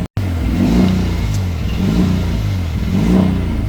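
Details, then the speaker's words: Rotary engine idling in neutral on a newly loaded tune, self-learning: idle surges and falls back about every second, never settling, hunting and rough; owner says the engine doesn't like that tune. "Okay. It doesn't seem to like that tune very much. holds okay for a while, then it starts hunting."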